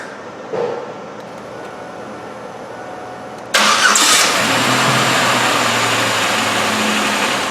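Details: Car starting right after its starter motor was replaced: quiet at first, then the engine catches at once and settles into a smooth, even run with no stumbling; a clean, healthy start.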